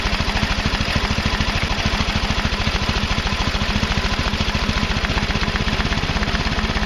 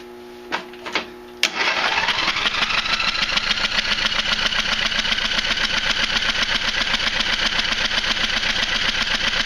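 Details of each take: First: Craftsman Hydromatic mower, 15.5 hp Briggs and Stratton OHV, after flooding with far too much oil was corrected to the proper amount: the small single runs with quick, even firing pulses and no misses or knocks. Normal running. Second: Craftsman Hydromatic mower with 15.5 hp Briggs & Stratton OHV, flooded engine, plug out: after a few clicks the starter spins steadily at about four strokes a second with a wet, spitting hiss as liquid, suspected thin oil not gasoline, blows out the plug hole.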